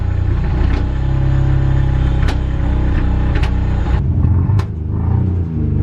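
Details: Nissan Cefiro A31 RB20DET, long-stored, low compression on compression and leak-down tests, running in second gear on axle stands to try freeing it up: rough, deep, uneven rumble with a lumpy beat under light load.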